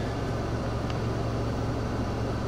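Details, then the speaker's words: 1989 Ford F-150 4x4, 5.0 V8, 5-speed manual, cold start with the IAC valve disconnected and the throttle held: a low, steady rumble with an even beat, no knocks or misses, about 1000 rpm. Idling smoothly. "engine's running right around 1,000 RPM. I gotta hold my foot on the gas because if I do, it might stall because I disconnected the idle air control valve earlier, but this gives it a nice soft startup."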